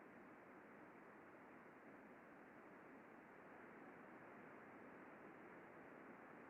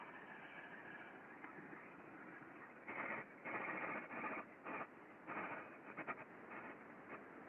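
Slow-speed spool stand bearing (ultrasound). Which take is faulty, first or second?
second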